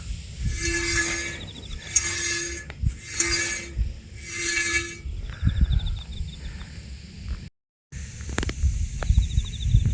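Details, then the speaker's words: Subaru Sambar moving slowly, jacked up on site: harsh scrape repeating once per wheel turn, a small stone trapped between the brake backplate and rotor, removed without disassembling the brakes. "絶対バックプレートに石挟まってるね、これ。石挟まってますね。"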